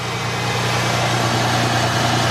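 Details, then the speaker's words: 2000 Ford Mustang V6 started after oil and filter change; smooth even idle with steady low hum, no ticking or knocking, sounds noticeably different, no leaks or warnings. "help way different guys wow it sounds like way different"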